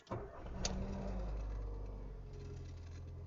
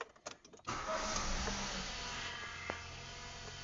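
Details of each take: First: Ford Fiesta after timing chain kit replacement (old chain had broken into pieces, nearly clogging the oil pump, oil light flashing, engine noise): first start catches quickly, settles into smooth even idle with no ticking; healthy. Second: Ford Fiesta Zetec Rocam 1.0 that flashed the oil light and began making engine noise: busy metallic chatter over the idle, then dies; stretched timing chain with missing front guide found, chain kit to be replaced.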